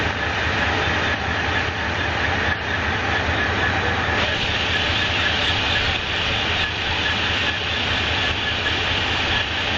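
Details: 2007 Monte Carlo SS V8 idling: steady rattly clatter over the low pulse, cause unknown, occurring only in Park and Neutral.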